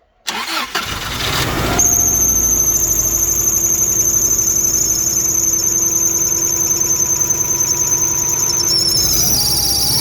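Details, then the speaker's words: Subaru Legacy that had overheated and boiled over, first start after replacing the water pump, timing belt and head gasket and refilling the radiator: a loud, steady, high squeal over the idle from the alternator, probably a slipping belt. "Генератор шиқылдап тұр."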